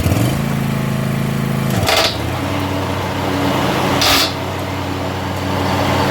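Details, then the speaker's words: Commercially used box-store John Deere zero-turn mower with blades engaged, after reseating a brand-new set of blades: a steady engine drone broken by scraping bursts about two seconds apart from blade tips clashing; no noise without blades or with the old blades. "this is not something that I come across very often but there is something wrong with one of those blades"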